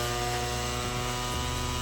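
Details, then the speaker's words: Petrol spray pump engine that started then quickly died, after carburetor reassembly, throttle cable refitted, fuel on: even steady drone at one pitch, no stumbles or surging; runs smoothly, carburetor no longer overflows. "आता petrol चालू करून याला चालू करून बघू काय होतं. हे बघा झालेलं आहे चालू मस्त."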